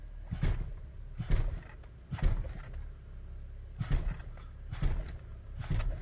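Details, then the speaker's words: BMW X5 E70 in drive, creeping very slowly and then braking: dull, deep clunks about once a second from the forward curved front lower control arms (thrust arms); worn control arm bushings. "bmw x5 i'm gonna attempt to capture the clunk um that's coming from the lower control arms the forward ones the curved ones also known as the thrust arms"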